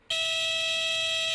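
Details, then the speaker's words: Light aircraft stall warning horn: a steady, piercing high-pitched tone sounding as the airplane reaches a certain angle of attack, indicating a stall is about to occur. "almost all manufacturers provide a stall warning horn when the airplane reaches a certain angle of attack it will cause the horn to"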